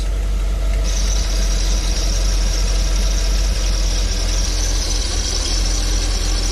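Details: RV on its first start in a while, in reverse just before it died, possibly out of gas. Low engine rumble with a sharp, steady high squeal that holds; cause unclear and unconfirmed.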